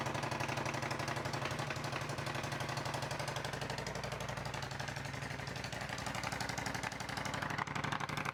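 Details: Ducati Monster 1200 twin started in neutral, clutch in, after cleaning the starter switch housing and starter relay to cure hard starting: steady even pulsing at about four beats a second with no stumbles; idling normally.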